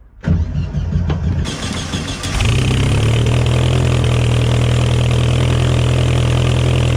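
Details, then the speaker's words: 1966 VW Beetle with a new exhaust and some recent tuning, first start in a few weeks, out of gear: brief cranking, then it fires about two seconds in and holds a smooth, steady low idle, so a normal start and idle. "It does sound loads loads better with the new exhaust. Look at those. Doesn't that look lovely? Does sound loads better. Did a little bit of tuning last time. It sounds nice."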